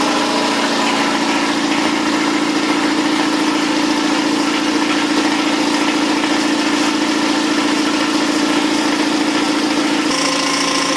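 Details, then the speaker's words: New Campbell Hausfeld 20-gallon twin-cylinder air compressor pumping up with the regulator off, near 50 psi: steady, even drone with no knocking; healthy compressor. "seems relatively quiet i've got the regulator turned off so it's just building up treasure it's almost at 50"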